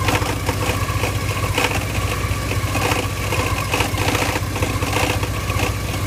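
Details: 1987 Porsche 944 at idle: rough, gritty grinding under steady hum, pulsing just under twice a second, from the clutch area; seems better with clutch pedal pushed in. Owner suspects clutch, not confirmed.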